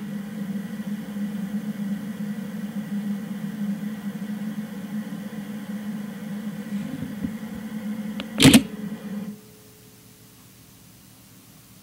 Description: Nikon 18-55mm VR II DX AF-S G Zoom Nikkor Lens emitting a strange hissing noise in Live View on my Nikon D3300.